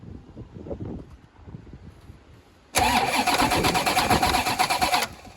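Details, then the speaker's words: Corvette C4 ZR-1 during restoration, plenum off, first crank test: starter spins engine briskly about two seconds with quick even compression pulses about three per second; healthy cranking, no fire yet. "again that sounds pretty good I think mate I'm well happy with that"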